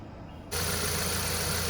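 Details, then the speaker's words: Ford Fiesta Zetec Rocam that was losing power, popping and using much fuel, after new injectors (IPE007) installed: once running, idle holds smooth and even with no pops, stumbles or misses; healthy engine. "Olá pessoal já aqui no carro depois de injetores instalado esse tudo certinho moto já está funcionando como vocês podem ver"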